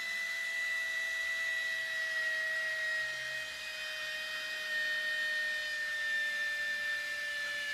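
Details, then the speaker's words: Air Hogs Wind Flyer toy plane rigged for round-the-pole tethered flight, 2.7 V supercapacitor wired directly to the motor: high steady whine slowly sagging in pitch with no propeller beat; one of the gears is probably spinning or slipping. "she's really annoying you must be one of the gears is spinning or slipping"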